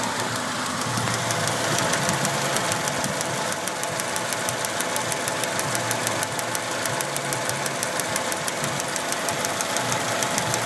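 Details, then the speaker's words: Mazda Protege idling with MIL on and misfire on cylinder 1, coolant low: after running 20 minutes smoothly, a sharp regular tapping sets in over the idle, the sound of the misfire. "That's a misfire."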